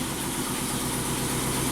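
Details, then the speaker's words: 2008 Ford F-250, 5.4L V8, 219,000 miles, swapped engine, after zip-tie, solder and WD-40 fixes: even, steady V8 idle with a smooth low rumble and no stumble or skipped beats; normal idle. "all right place your bets now did we make it better or worse [Music] you know what that that sounds better"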